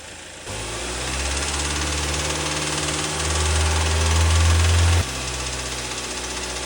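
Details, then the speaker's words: 2014 Kia 2.4 L GDI four-cylinder, fresh oil change, held at raised revs: a fast metallic rattle rides over a deep hum, rod knock that will eventually need an engine. "this is a GDI 2.4 L Kia and we're starting to get that uh rod knock rattle at about 22500 RPM so here's the noise"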